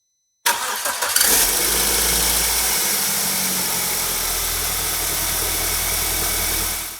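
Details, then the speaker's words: BMW N42 Valvetronic engine, totally cold, both VANOS units locked with tools, valve cover back on: cranks briefly, catches within a second, settles to steady even idle with no startup rattle, suggesting the rattle comes from VANOS not locking. "and as you could hear there was no rattle on startup although the engine was totally cold"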